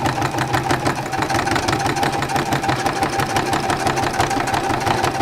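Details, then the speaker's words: Sewing machine thread painting while pulled hard over multiple fabric layers plus fusible: fast, even needle ticking about three per second, slightly labored. The extra noise is normal under heavy fabric load. "That noise is just because I'm pulling it pretty hard and it's going over multiple layers of fabric plus the fusible."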